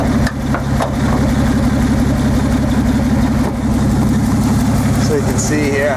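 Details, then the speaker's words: Nissan 280ZX Turbo at warm idle: lumpy, stumbling beat, shaking like an old steam engine. One injector stops working once hot. "so it's cutting out like that it kind I'll go back to normal and it'll kind of go back and forth a little bit but as you can hear sounds like just one of the injectors is not working right now"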